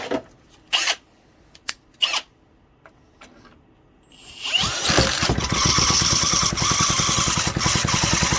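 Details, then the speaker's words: 1968 Briggs & Stratton 2.25 hp single-cylinder engine, first start after sitting for decades, running on a workbench not bolted down: a few clicks, then it catches and settles into a quick, even putter with no knocks or misses; it runs healthy. "Holy cow, it just fired right up. Can't beat an old Briggs. That was phenomenal."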